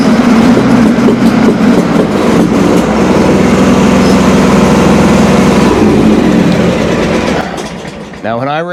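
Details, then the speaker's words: John Deere X300 with Kawasaki V-twin, customer reports popping, cracking and poor running under load (PTO, hills): uneven, lumpy running with irregular pops two or three a second, worse than when it came in; cause not yet found. "It wasn't popping and cracking nearly that bad. It actually didn't sound horrible."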